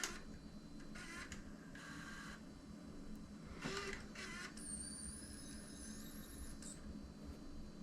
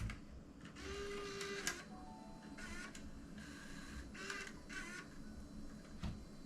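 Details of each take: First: Panasonic AG-HVX200P DVCPRO 3CCD camcorder, first tape load: short motor whirs, rising high squeal and uneven clicks as the transport loads; sounds rough, no error codes, tape compartment feels loose, cause unclear; a second load sounded better. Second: Panasonic AG-HVX200P DVCPRO camcorder, tape loading retried after a rough first attempt: short whirring motor bursts with light clicks in a smooth, even sequence, no catching or grinding; tape loading mechanism sounds healthy, no error codes.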